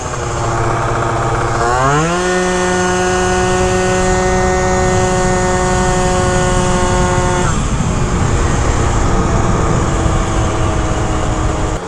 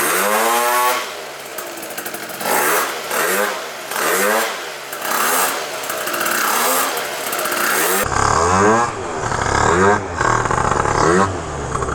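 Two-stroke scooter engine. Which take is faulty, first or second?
first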